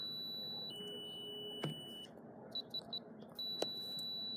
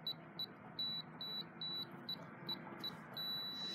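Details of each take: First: FE595 keypad padlock in vacation mode: short high beeps on each key press, then a quick closing tone sequence, with a green then red light, as the lock rejects every entered code. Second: FE595 keypad padlock in normal use: eight short high beeps as code keys are pressed, then a long steady beep.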